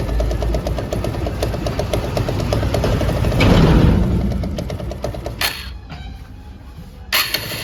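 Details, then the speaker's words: TVS Apache RTR 160 BS4 idling before repair: rapid irregular metallic rattle that fades when revved and returns off throttle. The bike also emits white smoke. The engine was opened and the cause traced to a loose gearbox shaft bolt. "अभी यह bike start है और आप engine की आवाज को जरा सुन लीजिए क्या चीज की आवाज आ रही है जैसे मैं रेस बढ़ाता हूं तो आवाज कम हो जाती है और रेस छोड़ते ही आवाज बढ़ जाती है"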